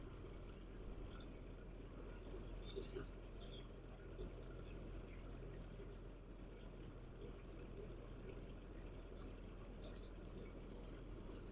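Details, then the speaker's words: Cheap air-to-water heat pump, bought as a non-runner with a blown capacitor and repaired, restarting after water-flow shutdown: low steady fan hum with an even drone, no rattles or scraping, compressor about to kick in; running normally. "OK, kick back into action. So the fans running. Don't think the compressor is fired up yet."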